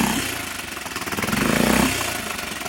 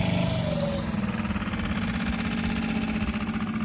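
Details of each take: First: 6.5 hp Hangkai four-stroke outboard fitted with a modified Yamaha 6 hp carburetor after flooding problems: choppy, uneven putter surging and sagging instead of holding steady; rough running, carburetor needs adjusting. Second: 6.5 hp Hangkai four-stroke outboard after fitting a modified Yamaha 6 hp carburetor to fix flooding, newly electric-start: smooth even running, pitch sagging briefly then recovering with throttle; healthy.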